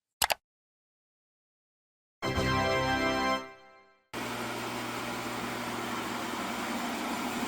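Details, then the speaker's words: 1985 18-inch bandsaw after replacing both belts, runout cut from about six thou to around four, no longer shaking: after brief music, smooth steady whirr with low even hum, no thumping or wobble; normal running. "and there we have it we're down to around 4, run out now this is perfectly acceptable I've used it to cut it's not shaking it's not noticeable at least anymore like it was it was crazy"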